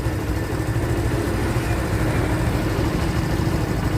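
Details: Barako motorcycle, previously hard to start especially in the mornings; after a screw adjustment the single-cylinder idle holds steady and even with a regular low thump and no stumbling: normal idle.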